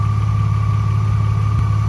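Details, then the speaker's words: BMW E36 started after a plastic-part leak repair: steady idle with a constant high, thin whine on top, present for two years. Source unknown to the owner and still to be fixed. "Okay, so it's running. I still have to fix the whining noise. I don't know what is that."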